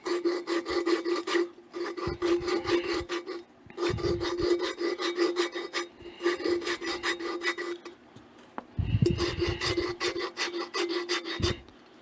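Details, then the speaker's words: Hand lapping the exhaust valve of a Waterloo Boy 5 HP engine with a light coat of grinding compound, possibly silicon carbide, twisting the stem back and forth: gritty rasping bursts as the grains get crushed against the seat. "And you can hear that compound. You can hear the granulars the grains get crushed."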